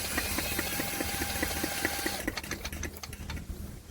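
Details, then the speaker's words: Douglas engine spun over with a drill, thumb on the plug hole to feel compression: steady, even chuffing with no firing at all. No spark with this plug; a replacement plug does spark on compression, so timing is right. "Right. I don't appear to have a damn spark."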